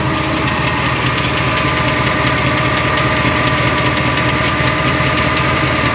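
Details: 2002 Silverado 8.1 V8, Allison 1000, 4WD, idling: light steady tick about 2.5 per second from the bellhousing area, not block or oil pan; flexplate, converter and bolts new, noise unchanged, so not the flexplate.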